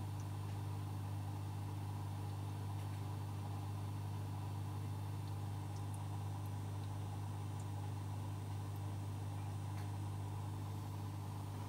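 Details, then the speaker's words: Oase Biomaster Thermo 350 aquarium canister filter after maintenance and priming: very quiet, steady low hum with no rattle, gurgle or grinding; normal pump operation. "donc la petite minute 2 vidéo qui va suivre ça sera effectivement le bruit de l'appareil en fonctionnement sous le silence le plus absolu écoutez bien"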